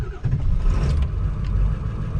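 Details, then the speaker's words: Ford Excursion diesel cold start at 12 degrees after glow plugs and intake air heater: catches quickly, oil pressure up, settles into a steady even diesel rumble with no knock or miss, high-idle strategy at about 900 rpm; healthy. "as he fired right up we already have low pressure oil and it's idling just fine"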